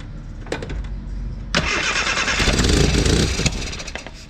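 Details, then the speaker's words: Austin America (Mini) with SU carburettor, after new fuel filter, fuel pump fix and new battery, carb being tuned: engine catches, flares on a throttle blip and sags back unevenly; mixture sounds lean, later confirmed lean. "sounds like it might be a little lean again okay"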